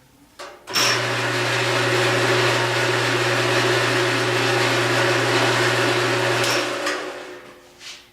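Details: Menards KDS25-2503 drill press, just after belt moved to the second pulley set and tensioned: spins up to a steady even hum with smooth belt whir, no slap or squeal; normal running.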